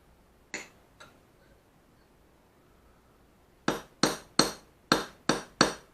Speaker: 소리가 틀리죠? 찍어주는 소리. 탁탁 찍어주는 겁니다.